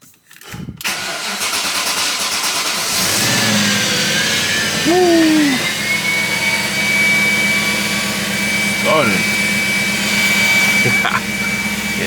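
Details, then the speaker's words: BMW 540i starting on a jump box after loose starter bolts were suspected: brief crank, then it catches cleanly and settles into a steady, even idle with no grinding; the starter did not need replacing. "started man so I guess I'm going to return that starter"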